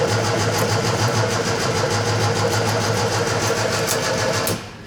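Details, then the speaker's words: Scrapyard Fiat 600, fuel poured down the carburettor: starter churns at a steady, even three beats a second with no firing; plugs found wetted with fuel, to be replaced with a new set. "I see that one's wet you see how wet that is so that's what's happened we wetted the plugs up"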